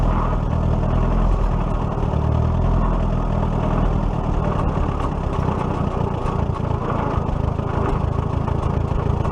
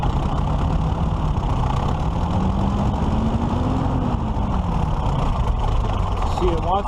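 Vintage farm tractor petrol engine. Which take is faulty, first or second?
second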